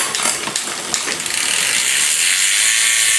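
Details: Liv Intrigue road bike after a freehub service and reassembly with a new cassette: crisp, even pawl clicks about four per second while freewheeling, then a clean spin hiss; healthy freehub ratchet.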